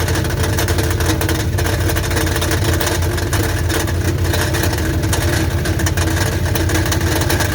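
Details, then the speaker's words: 1984 Dodge Ram Prospector 3/4-ton, 360ci V8, automatic, with a lumpy idle and an irregular low clatter. It sounds like something rattling inside the oil pan; the starter is to be checked first, then the oil drained and the pan dropped. Cause unconfirmed. "but honestly it really does sound like something is rattling around inside that oil pan"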